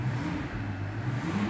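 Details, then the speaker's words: Mercedes CL65 AMG V12 after repair, under acceleration; deep, even roar pulling hard with a smoothly climbing note, no stumble or popping; shortly afterwards misfired with check engine light; normal acceleration. "super smooth V12 power right there come on baby you can do it all right guys car is running really nice and smooth"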